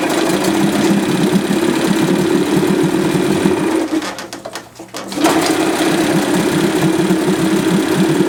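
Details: 1978 Johnson 25 hp short-shaft two-stroke outboard after cleaning a badly fouled carburetor that caused a no-start: quick, even putter at idle, dipping briefly midway then recovering. Starts and runs cleanly.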